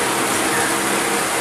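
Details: Car radiator cooling fan motor after disassembly and repair, powered via ignition switch for testing: steady, even rush of air with no ticking, rubbing or wobble; running smoothly and normally.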